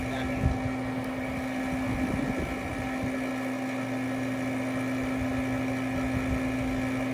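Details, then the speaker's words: Brand-new Robinair R1234YF A/C machine: steady low hum with an even whir and no knocking or surging. The vacuum pump is pulling vacuum on the high side and the low side is coming down normally. "But I am pulling the vacuum on the high side now, and my low side is starting to come down."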